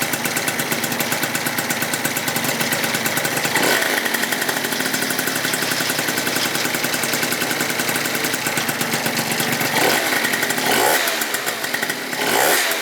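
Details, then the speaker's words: Freshly rebuilt Yamaha Zuma 70cc two-stroke just after its first kickstart, on its first heat cycle warming to about 180: fast, even, crisp, rattle-free idle with a few light blips. Runs clean; normal idle. "Let's let her warm up. First little heat cycle on her. First start, boys. Well, damn, boys, she runs like a champ."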